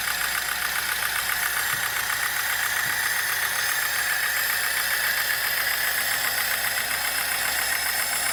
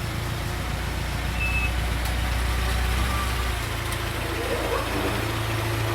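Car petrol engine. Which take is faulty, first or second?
first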